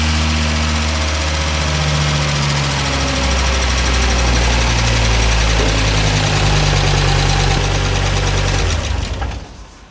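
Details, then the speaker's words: Volvo 740 with T5 engine swap on first start after fuel pump relay rewiring, oil slightly low: deep, steady drone with an even pulse around 240 per minute, no misses, before shutoff; runs healthy. "Yeah, we have to top off the oil before we go any further, but the engine sounds much better now"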